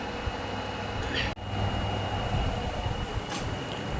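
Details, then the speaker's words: LG front-load washing machine after drum repair with new spider (chaukdi), oil seal and two new bearings: full-speed 1000 RPM spin, steady even whoosh and low hum, no knocking, grinding or rumble; normal spin cycle. "Machine हो गया रेडी, अभी चल रहा है पूरे 1000 RPM में full speed पे, कोई नॉइज़ नहीं आ रहा, मस्त चल रहा है एकदम बढ़िया"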